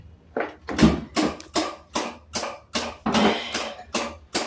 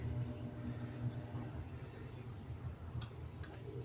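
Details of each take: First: Samsung RS27KLMR refrigerator with a replacement DA41-00139A control board, dead after an electrical fault; on power-up with an amp clamp fitted, sharp clicks repeat about 2.5 times a second without stopping; a short on the control board. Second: Samsung RS27KLMR refrigerator (board DA41-00139A) that stopped after a power problem, with a damaged connector cable and terminal: steady hum, then two sharp relay clicks as the compressor starts; normal relay clicks and compressor start.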